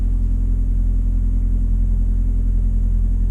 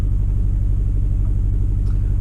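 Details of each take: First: On a Suzuki SX4, after ignition coil replacement to fix choppy running and a misfire code, test drive: a low, steady hum with even rhythm and no skips or shudders; runs smoothly, though a pending code later remains. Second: Engine idling deep and lumpy with uneven pulses, running really rough. Codes show cylinder 3 and 4 misfires after the suspect ignition coil was swapped from cylinder 4 to 3, pointing to a failing ignition coil.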